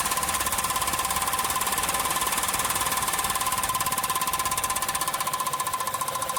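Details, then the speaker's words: Honda Fit 1.4 on a lift, loud noise at 60-80 km/h: rapid, even slapping ticks about three or four a second as the wheel spins; an oversized nylon zip tie used as CV boot clamp strikes the heat shield. "esse carro foi trocado a a abraçadeira aqui da da coifa e aí aqui ó e colocar um uma cinta de nylon tá o que que acontece essa cinta a cabeça dela aqui é muito grande ela pega na lata aqui do defletor"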